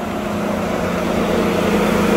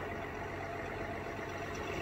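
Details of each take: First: 2021 GMC Sierra 1500 3.0L Duramax diesel, remote-started in cold Chicago weather after using the block heater, idles with its radiator fan stuck on high: a loud steady rushing roar over a low hum, with no actual overheating. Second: 2021 GMC Sierra 1500 3.0L Duramax diesel, after radiator fan stuck on high from block heater use, fixed by disconnecting battery 15 minutes: steady diesel idle clatter with no loud fan. Normal idle.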